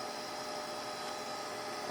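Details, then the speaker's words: Old beige desktop PC: steady, loud whir with a faint whine from a small add-on hard drive fan; loud cooling fan noise. "Okay. What fan is making all that noise? Is it this one? Yeah. Little hard drive fan that they installed for some reason."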